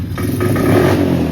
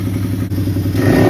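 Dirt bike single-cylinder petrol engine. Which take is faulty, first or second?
first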